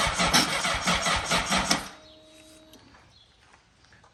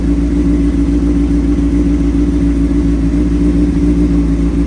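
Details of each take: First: 2003 Honda CBR600RR with Yoshimura slip-on, sitting about three years, dead battery, cold start attempt on jump box: starter churns about two seconds in a labored, uneven rhythm then dies without firing; slow cranking from drained jump box. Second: 2003 Honda CBR600RR with Yoshimura slip-on, sat about three years, cold start on jump box: fires right up with a deep, even exhaust note, steady firing, no misses or stumbles, running smoothly.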